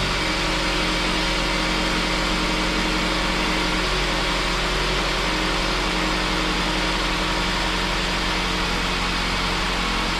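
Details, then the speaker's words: Saab 9-5 at 230k miles, just after water pump replacement: steady, even idle with a smooth low rumble, no knocks, ticks or hunting; heater on full to heat-cycle the engine before topping off coolant. Normal idle. "Sounding good, guys. I turned the heat all the way up, and get this thing heat cycled, so we can top off the coolant,"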